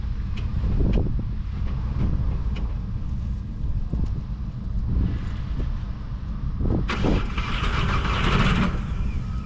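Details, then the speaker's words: 1.9 TDI diesel Seat Ibiza started on jump pack at 12 volts, possibly weak battery or pack; short crank with a few bursts, catches and settles into steady even idle clatter; normal start and idle. "So, fired up pretty easily, to be fair. I just needed to crank it a little bit longer."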